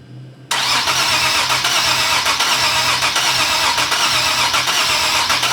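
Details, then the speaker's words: Supercharged Nissan 370Z Nismo VQ, first start after air-to-air supercharger conversion and timing/gallery gasket refresh: steady even cranking with good compression beats but no fire or sputter; fuel pump runs with pressure, crank no start. "I don't know. It don't really sound like it's trying. >> Yeah, I agree. Ain't sputtering, ain't nothing."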